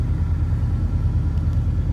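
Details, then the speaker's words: 1996 Ford F350 460 V8, very cold start after ignition coil replacement, fuel pump primed first: deep, steady idle rumble with an even beat and no knocks or misses. "let that fuel pump get nice and primed up and then we'll give her a crank all right boys she's running"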